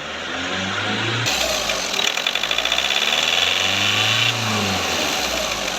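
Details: Skoda Rapid diesel after injector replacement: clatter rises to a held higher speed then eases back with no load, lights and accessories off, during the automatic injector adaptation; normal revving.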